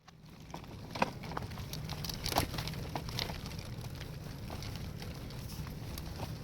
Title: Graco aire 4 xt stroller making clicking noises 2